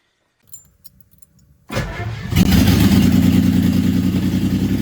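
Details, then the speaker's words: 1976 Jaguar XJ12, first start of a newly installed V12 after sitting engineless for about 40 years; fuel pressure slowly rising. Starter catches into a loud, even, slightly busy idle with no exhaust, running about 10 seconds; healthy first run. "our pressure is slowly coming up here it's running a little bit longer so that is working we're running for about 10 seconds"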